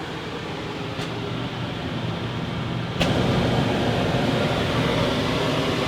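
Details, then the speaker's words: Wrecked Georgetown RV rooftop AC, fan switched to high: smooth steady blower rush stepping up partway, no rattle, scrape or squeal; sounds very healthy, starting to blow cold. "Turn the fan on high. Alright. And that sounds very healthy."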